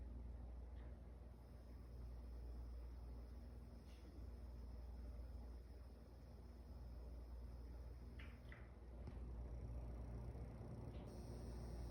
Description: Just showing the noise I get when I’m in game and out of game with the Corsair sf 600w power supply. When you hear me alt+tab is when the buzz goes away. When I’m in game is when you hear the buzz start up again.